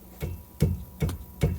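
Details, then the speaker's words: Ford EcoSport, rear stabilizer bar end link struck by hand: four dull, low knocks about 0.4 seconds apart; owner suspects worn end links cause rear clunking over bumps and replaces them. "I suspect it's from the rear stabilizer bar end links. Let's see how they feel tight, but if you bang on these things, sometimes you could hear a little noise. That one sounds all right. When you're driving over bumps, you hear a little clunking in the rear."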